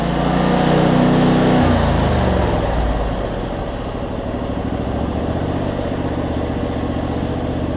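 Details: Cub Cadet zero-turn mower with Briggs V-twin, previously running rich with wiring, charging and governor issues, after tightening a part that had wiggled loose; settles from higher note to steady even throb after brief wobble; normal running, owner thinks it's fixed.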